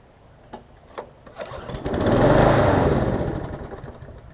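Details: Push mower from a $75 equipment lot, started after a few pulls: it swells and sags and won't hold a steady governed speed, sounding lean and fuel-starved; owner suspects a swollen needle and seat or a restricted fuel line; possible fix is a carb swap.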